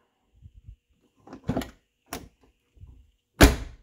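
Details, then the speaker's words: 1990-1997 Lincoln Town Car door after striker bolt bushing replacement and adjustment: light clicks, then one dull solid thud with no high-pitched pop, no slamming needed; latch engages normally. "think we're going to leave it just like that because you're not having to slam the door and it's making a great little thud I don't want to call it that high-pitched pop that drives me nuts"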